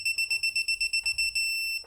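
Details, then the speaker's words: DeWalt 1/2-inch digital torque wrench tightening rebuilt 2014 Nissan GT-R wheels: about ten quick high-pitched beeps, roughly five per second, as torque nears target, then one long steady tone when set torque is reached. "It's a 1/2 inch, and since it's digital, you can set it to either pound-feet or Newton meters, and it will beep at you when you know you're close or on the money, which is pretty cool."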